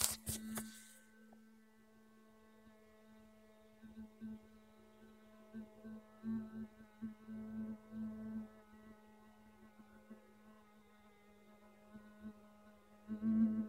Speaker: The phone is currently off and still vibrating.